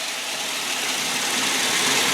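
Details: 2003 Ford Explorer Limited, 4.0L six-cylinder, idling with hood open: steady, even hiss-and-hum, no knocks, misses or rhythm changes; healthy smooth idle.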